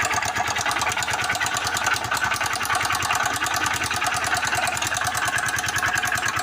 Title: barulho no motor biela#mecanico #dicas #motos